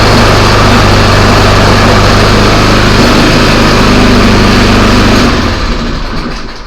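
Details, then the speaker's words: Craftsman snowblower after replacing the auger belt to cure a loud noise from the auger assembly: a steady, even engine drone with no knocking, squeal or grinding from the front, then a clean shutdown. The noise is gone, so the bearings are good. "And now there's no noise in the front. So the bearings and everything else are good."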